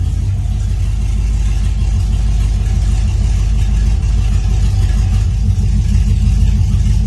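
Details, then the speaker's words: Vehicle with newly installed Holley Sniper EFI throttle body, warmed for a few minutes, no leaks: loud low idle with an uneven lope and occasional dropped beats; a miss at idle, owner suspects low fuel pressure, not yet confirmed. "You can hear it missing. I think that's low fuel pressure."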